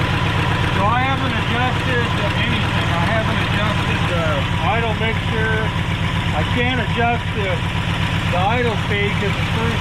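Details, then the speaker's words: Abandoned 1968 Ford XL with a failing carburetor and fuel starvation, unadjusted, at uneven idle: light tapping about four a second with chirpy noises over it; owner suspects water pump, source unclear. "What is that sound? Maybe water pump. I hear a little tapping here."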